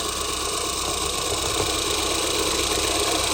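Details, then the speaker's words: Ford Mondeo engine at idle with light fast ticking and hiss, tick grows louder above about 4,000–5,000 rpm; cause not confirmed. "and so that noise gets a lot louder when the RPMs go above. I think this time around you probably took the RPMs over four four 5,000 and you can definitely hear it. But the the noise that sort of gets louder is that ticking noise."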